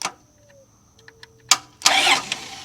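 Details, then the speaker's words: 2002 Chrysler Town and Country (Caravan) with no-crank no-start; starter relay bypassed with a jumper wire: relay clicks then a strong, free starter crank, so the starter works and the fault lies in the relay's PCM or ignition circuit. "And you can see that it did try to start there."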